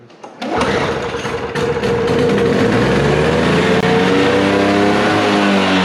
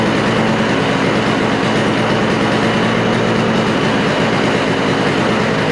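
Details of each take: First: Toro snow blower, Briggs & Stratton R-Tek engine, cleaned carburetor reinstalled after sitting non-running: catches after a few pulls, settles into a high, wandering buzz that won't hold a steady idle; owner suspects the idle adjustment is set wrong. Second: Toro snowblower with Briggs & Stratton R-Tek engine after refurbishing, idle possibly not set right: steady, even buzz holds without stumbling or surging; the engine is running cleanly.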